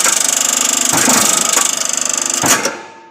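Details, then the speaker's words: Machine motor under a removed cover: fast, even ticking scrape every revolution, fading as the motor spins down — fan impeller catching the brake; gap adjusted with a screwdriver, noise gone afterwards. "проверяем банально крыльчатка цеплялась за тормоза поправил зазор с помощью отвёртки Сейчас такого звука нет"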